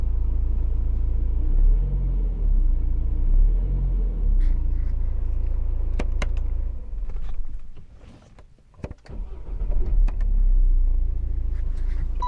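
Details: BMW E84 cold start at 4 a.m. after timing chain, clutch and flywheel replacement, now on 5W-30 LL04 fully synthetic oil: steady, low, even idle with a few light clicks and a short dip, no chain rattle or slap; normal cold start idle.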